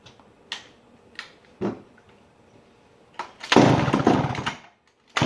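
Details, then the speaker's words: 1959 McCulloch 1-70 87cc chainsaw, stored almost 30 years: few pulls, fires about a second and dies; gas leaking between carburetor bottom gaskets keeps it from sustaining, possibly loose screws, likely needs carb kit. "I did get this to fire it just cannot sustain because of this current situation"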